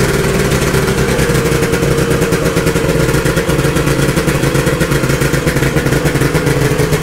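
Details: 1972 Ski-Doo Nordic 440 two-stroke snowmobile, engine rebuilt and carb preliminarily adjusted, running after a cold start: loud, steady two-stroke buzz with even firing and no misses or sputter; normal running.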